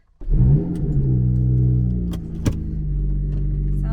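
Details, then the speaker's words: Lotus Evora with a valved exhaust: a steady, even low drone after start-up settling to a smooth idle with no ticking or roughness. Sounds much healthier than the owner's blown-engine Evora; normal idle. "so he's got a valved exhaust on this one but you can already hear how much healthier this engine sounds than mine"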